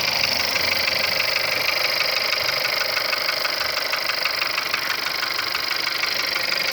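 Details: 1.2 CJZC engine at cold start: steady idle with a fast, fairly even tapping of about three per second over the engine; cold-start knock of unknown origin.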